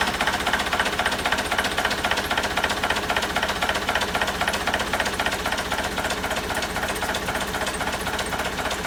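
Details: 1963 Volvo BM snowplow diesel at idle, started after draining air tanks while repairing long-failed air brakes, compressor rings known worn: even steady clatter, regular firing about four per second, no odd knocks; healthy running.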